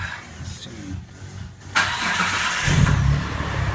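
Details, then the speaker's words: Mitsubishi 3000GT with automatic transmission, after replacing the crank pulley (bolt torqued) and refitting wheel and panel: starter cranks briefly, engine catches and settles to a steady idle with no belt squeak or chirp; normal start. "Everything looks pretty good, nice and tight. Go ahead and start it up. Make sure it doesn't squeak."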